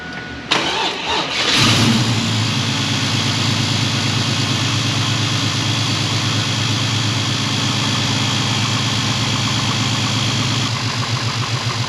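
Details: Pontiac Firebird with transplanted LS1 V8, first run in 25+ years, heard from outside after an exhaust leak fix: brief crank, clean catch and steady lumpy idle with no leak puff; the alternator is not charging.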